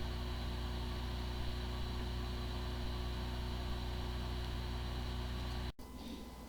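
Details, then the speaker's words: WD WD80EZAZ 8TB hard drive: steady even spin hum with faint regular whir, no clicking or grinding; spins like a good drive yet the computer cannot detect it, disk firmware corruption suspected. "the following is the sound from one of the hard drive which experienced disk fir corruption it sounds like a good hard drive but the computer cannot detect hard drive"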